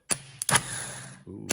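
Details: 1974 Pontiac GTO, 455 V8, starter bench-tested: sharp solenoid clack, then quick even high whirr winding down cleanly with no grinding; starter healthy.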